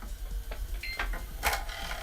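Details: Xbox One S disc drive with a disc in: short scraping, grinding bursts and clicks. The Blu-ray drive is brand new and its board was replaced, yet it still grinds; the owner suspects the new drive came defective.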